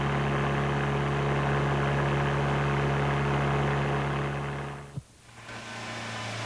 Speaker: the booming produced by the engine sometimes has a similar frequency also